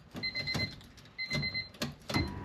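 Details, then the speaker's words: Honda Civic turbo build, new aftermarket fuel pump wired through a relay: at key-on, relay clicks then short steady whirring bursts; normal priming, louder than the stock pump but not excessively. "oh yeah it's clicking and you can definitely hear that pump a lot louder than the stock one but not ridiculously loud"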